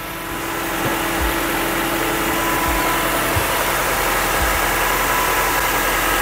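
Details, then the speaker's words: 1999 Honda Civic EX idling smoothly and quietly after replacing broken, typewriter-loud rocker arms; even low hum with no tapping or clatter from the valve train. "Pero nakita nyo naman yung difference. Tingnan nyo naman yung difference ng ng tunog. 'Di ba? Grabe, ibang klase. Ang tahimik niya."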